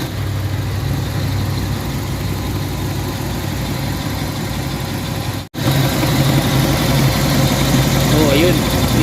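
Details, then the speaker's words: Hyundai Elantra whose temperature rises and engine shakes with no check engine light; over the idling engine a loud steady whirring comes from the worn radiator fan motor, which moves weak air and causes the overheating; planned fix is replacing the motor. "Kaya tumataas yung temperature dahil hindi na gaano malakas yung hangin. So gagawin natin dyan, papalitan natin to ng motor. Ayan, para lumakas yung hangin, bumalik sa dati para mawala yung ingay."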